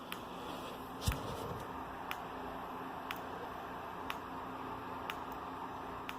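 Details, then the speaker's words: Fire alarm strobe on a series circuit shared with a Genesis device: faint sharp clicks about once a second over room hiss, flashing at a slower rate because the other device takes power. "It's just flashing at a slower rate because the other device is taking up power. So let me cover the Genesis. You can probably see it now. And if you can't, you can probably hear it clicking."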